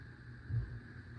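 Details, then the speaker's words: 52-inch white Hunter Pro's Best ceiling fan on high, which runs the same as medium: short steady low buzz under motor hum; owner blames a bad capacitor and plans to replace it. Slight wobble. Buzzing hum. "Now, here's high hear the buzzing noise it makes. Sounds like my It sounds almost like the Hunter Straford 2 ceiling fan in my relative's house."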